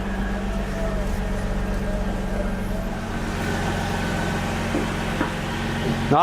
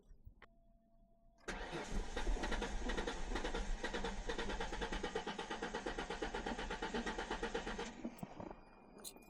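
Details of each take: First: 2004 Ford Mustang that sat in the desert for a couple of years, running after its first fix: a steady, even idle with a low constant hum and no knocks or misses. Sounds healthy; a bent cooler line still needs attention. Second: 2004 Ford Mustang sat in the desert for years, cranked while spraying starter fluid into the intake: starter churns steadily about three times a second for six seconds, never fires; crank no-start, seemingly missing fuel.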